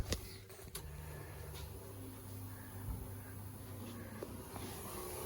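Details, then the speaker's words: Holden UC Torana, first start attempt after tank fitted and fresh fuel: quiet steady low hum and faint whir after clicks as the electric fuel pump primes off the key; a copper fuel line then showed seepage. "Pump's humming away."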